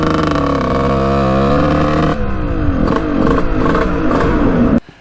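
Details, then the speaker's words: 1989 Kawasaki KX125 two-stroke after power valve replacement: revs blip unevenly, wander and stumble, then cut out. Owner suspects the carburetor; changing float height didn't help. Rough running. "something's going on with the carburetor huh i don't know sounds like crap though what the heck i can't figure this bike out [Music] running really weird"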